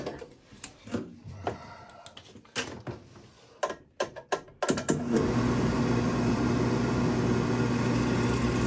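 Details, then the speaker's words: Williamson oil furnace burner on diesel fuel during service (water and rust found, belt needs adjusting, unknown prior starting issue): clicks and ticks, then steady even roar with low drone; good oil flow, ignites and fires normally. "Diesel fuel, that's what they had in here. Got good oil flow. And she ignited too, so now we'll see if she stays running."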